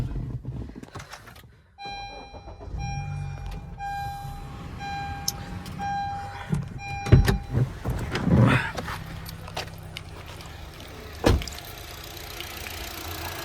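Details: Used Honda Amaze petrol engine, started for the demo with hood open, no leaks: chime and handling rattle, then engine catches and settles to a steady even low hum, no knocks; normal idle.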